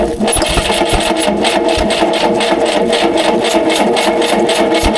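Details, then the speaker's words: Rare experimental four-cylinder big-block engine run for the first time in 15 years, after it stalled and backfired: uneven, lumpy idle with a ragged pulse about five times a second; ignition module failure suspected, timing being adjusted. "That doesn't sound good. Maybe the ignition module fucking shit out."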